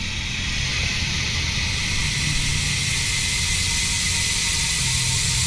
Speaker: Yan guys, no, yan yung tunog ng GUB 1351 MTB hubs kapag naka free wheel.